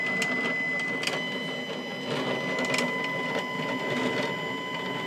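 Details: Stepcraft 840 CNC, after snugging things down during setup: gritty, clattery whirr with a thin whine and scattered clicks as the gantry travels; it sounds rough, cause unclear.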